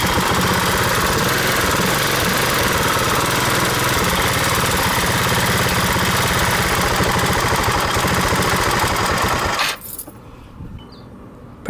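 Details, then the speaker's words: 150cc scooter with the idle screw turned way up after stalling: engine races at a high, fast idle with no throttle, rear wheel spinning; erratic high idle from a vacuum leak in an overlooked spot, the intake manifold spacer. "every time I just the idle all of a sudden it goes up like crazy so it has the symptoms of a vacuum leak but so far I haven't been able to find the vacuum leak"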